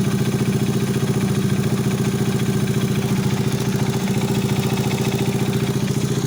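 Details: Alpha 110 single-cylinder moped engine rebuilt with new cylinder head, complete cylinder-piston group, timing chain, hydraulic tensioner and clutch assembly; at idle a sharp constant mechanical ticking knock about three to four per second; engine knock.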